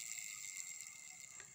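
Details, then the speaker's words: Worn crankshaft/transmission bearing from an old Honda Revo motorcycle that had humming and dragging noises, spun by hand: a fast, gritty, rough rasp with a thin ring as it stops. All centre-block bearings to be replaced. "tarik kedengaran bunyi kasar seperti ini akan kedengaran ketika anginnya kita berhenti"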